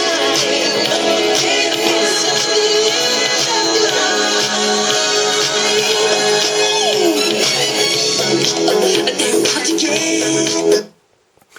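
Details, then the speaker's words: Harman Kardon SoundSticks III speakers on an older, larger iMac, owner reports sound breaking up at high volume; Thriller played at max volume sounds full and clear with no rattle, buzz or distortion, speakers performing normally. "Well, that was the test, and not a bad song, and the speakers sound pretty good."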